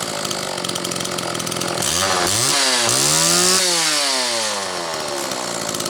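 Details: Homelite XL chainsaw, on its final test run and tuning after the Zama C2S-H5A carburetor rebuild with the inlet needle spring correctly placed: it revs up and settles back in smooth sweeps, with no stumbling or bogging off throttle; running clean and strong.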